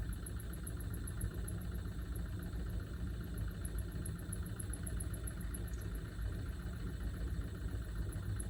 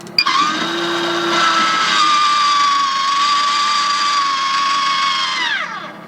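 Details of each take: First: Maxxair roof fan in a camper van at slow speed, below 20% (10–20% setting): a faint, high chirping squeal pulsing steadily over a low hum from the failing fan motor, which was replaced with a new one under warranty. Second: Maxxair roof fan after warranty motor replacement (previously squealed at 10–20%): smooth, even whir at low speeds 10–40% with no squeal or rattle; running normally and much quieter.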